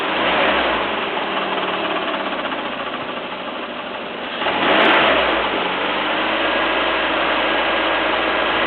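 Idling engine with a fast, dry clatter running through it and a brief swell midway; a clacking noise, source not identified.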